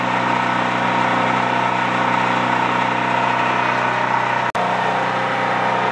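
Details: Used Champion C46540 generator after tune-up (cleaning, oil change, new spark plug, oiled air filter): steady even drone, constant pitch, no hunting or misses; normal running.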